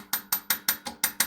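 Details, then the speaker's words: BR232 locomotive KT6 turbocharger, rotor turned by hand: light sharp clacks, about five a second, from loose turbine blades shifting in their play. "ale wcześniej w momencie kiedy ręcznie napęd wzięło się wirnik torba nie było słychać takie lekkie klekotanie właśnie będące wynikiem luzów upadek które po prostu kiedy zjeżdżamy na dół opadały"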